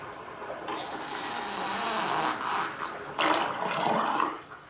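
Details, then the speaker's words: Sink drain after treatment with Drain Punch non-acid cleaner. Strong rushing water with a brief gurgle, emptying quickly without choking. The drain flows freely. "That's how it's supposed to run. No tools, no wrenches. Perfect."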